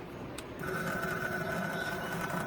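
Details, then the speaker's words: 2022 Yamaha YFZ450R fuel-injected, fuel pump heard at key-on with tank cap removed: thin buzzy whine rises and holds but sounds rough, bubbly and unsmooth, indicating a failing fuel pump. "You can hear the fuel pump, but it doesn't sound very smooth. You It's kind of like bubbly. Like that's usually one indicator that it's probably gone bad."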